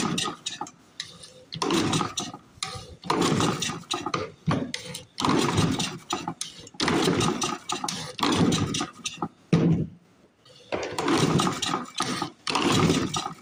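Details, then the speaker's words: Flooded 1930s Briggs and Stratton Model Y engine, about 90 years old and in rough shape: irregular pull-start bursts with brief coughs and pops that die each time; won't run, carburetor may need work. "as you can see it sucks it certainly does suck I think they're flooded I think I flooded"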